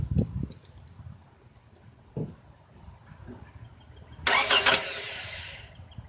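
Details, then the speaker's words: 2009 Toyota Camry that wouldn't start: after battery terminal connections were refitted, a couple of short cranking bursts, then a quick catch with a loud hiss and a settling idle. The starter is fine; the fault was a bad battery connection. "it started up which is great so it doesn't need a starter"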